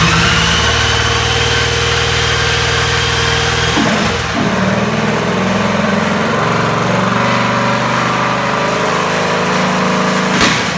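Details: Small single-cylinder kart engine with torque converter, started via starter box; runs steady and even with a buzzy note, no knocks or misfires; sounds healthy.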